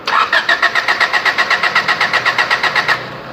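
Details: Honda three-door with D15B petrol engine, cranks but won't start: even starter cranking about four pulses a second, no firing; spark present, injectors spray but fuel pressure too low from a weak fuel pump, replaced.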